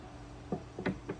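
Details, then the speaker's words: Homemade fishing-lure bait tumbler driven by a DC motor through a pulley: at higher speed a few light sharp clicks, about three in under a second, over a faint motor hum; possible hiccup at the bolted pulley. "DC motor see if I speed it up you can hear that uh little clicking"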